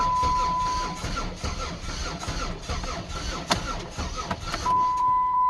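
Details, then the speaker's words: 2008 Dodge Nitro at start-up after reassembly, exhaust loud: the engine catches and runs uneven and stumbling with a chime tone over it. A misfire is still present, cause unknown. "doesn't sound good let's say I get the battery jumper on it hitting pretty hard hope that's not a bad sign really hope not"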